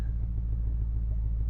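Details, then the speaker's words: Old Ford F-150 dentside truck at operating temperature, not running hot, after retiming and a gear-reduction starter fix for not restarting when warm. Steady, low V8 rumble with even firing pulses and no misses or knocks: healthy warm idle. "she's not running hot or anything but she's warmed up she's at operating temp"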